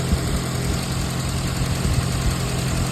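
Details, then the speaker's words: 2013 VW Jetta 2.0L at idle after installing a new radiator cooling fan: steady, even idle with smooth low hum, no ticking or whirring from the fan area; noise gone, normal idle. "There is no noise."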